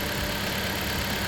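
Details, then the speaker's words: 2018 Dodge Journey 2.4L at idle after alternator replacement, microphone on the work light close to the engine: steady, even idle with a smooth low drone and no whine or grinding; charging reads 14.6–14.7 V; it sounds much better and the diagnosis was right. "14.6, 14.7. Everything's going pretty good. Yes. Sounds way better."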